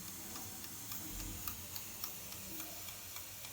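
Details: Clinic autoclave with timer set to 30 minutes, heating toward 121°C and 15 psi: quiet, even ticking about three or four a second over a faint hiss; timer running normally as pressure builds.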